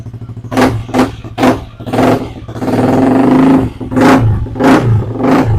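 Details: Yamaha Aerox scooter, previously dead and would not start, after body wiring harness replacement, battery at 12.5 V: engine catches and runs, blipped in repeated revs with a steady note between; starts and runs normally, charging normal.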